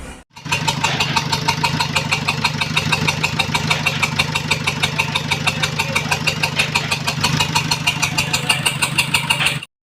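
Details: Nissan X-Trail T31 2.0 dCi M9R diesel running on three cylinders, code P0303 cylinder 3 misfire, after overheating from a burst coolant pipe; lumpy, uneven diesel clatter at idle from the dead cylinder.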